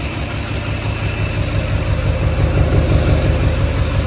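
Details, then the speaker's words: HMMWV Humvee with swapped Duramax LBZ diesel, running after FASS lift pump install feeding the CP3: steady, even idle with low thrum, no ticking, no exhaust leaks, no fuel leaks or smoke; sounds just as it should, normal idle. "amazing it sounds just as it should so um we'll see from there"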